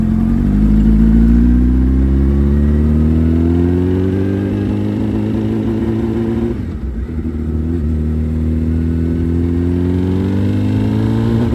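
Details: Suzuki Hayabusa with a built motor and aggressive cams, on a road test after cleaning its clogged fuel filter; before, it only reached about 7–8,000 rpm. Pitch rises smoothly, briefly dipping at a shift, with no stumbling or cutting out, revving all the way through. Normal full-rev acceleration.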